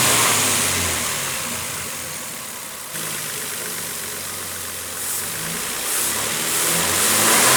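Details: 2007 Nissan Frontier after dealer repair replacing camshaft timing chain, tensioner face, O-ring seals and front crankshaft oil seal: engine starts, revs and settles smoothly with the earlier whine gone; normal running.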